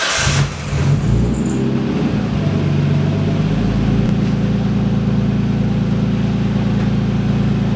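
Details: Nissan S13 engine briefly started without radiator after the timing belt, reinstalled during water pump replacement, was re-tensioned: smooth, even run with no whine; the earlier whine was from an over-tight timing belt.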